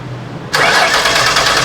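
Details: 2006 Ford Taurus with a salvage-yard replacement engine, spark present and fuel pump running: starter cranks at an even rhythm with no firing at all. No-start caused by stuck-closed fuel injectors.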